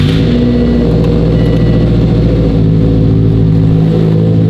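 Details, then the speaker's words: Subaru WRX STI after freeing the alternator cover that had caught in the serpentine belt: deep, steady, even rumble with a smooth low hum and no squeal or slap; engine runs cleanly and sounds healthy. "Sounds much better this time."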